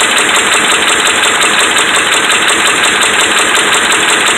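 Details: Dodge Ram 5.7 Hemi held at fast idle: steady hard knocking about three a second through the engine noise; bad connecting rod and crankshaft main bearings.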